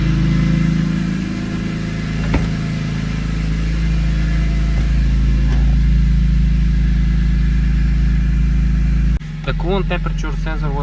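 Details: BMW E46 M3 (S54) at 139k miles, started after a water pump replacement and cooling-system overhaul with the heater on full: the engine catches and settles into a steady, even low idle with no knocks or ticks. Normal idle.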